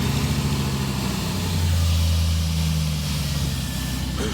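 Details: 2002 Jeep Cherokee 4.7 V8, 60,000 miles, new starter, started by jumping the starter relay after a no-crank fault: smooth, steady low rumble with no misses or knocking; normal V8 idle.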